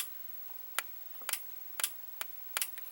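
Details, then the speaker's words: Fisher FVH-825 vintage VCR (idler repaired, pinch roller bad): a few sharp, dry clicks at irregular intervals in a quiet room as the tape speed button is pressed, normal relay or mechanical switch action. "And as you can hear, there is something that there is like a relay that that activates when you press that. So there's like a mechanical switch that activates when you change the tape speed."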